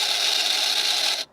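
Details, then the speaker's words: BMW 760Li (E65/E66) powered trunk lid: the hydraulic lift pump runs with a high, harsh, very noisy whine but won't push the lid up. Owner suspects air in the system, though fluid is at max. "As you can see, the motor is working, but it just doesn't give it that initial push, and it seems very, very noisy."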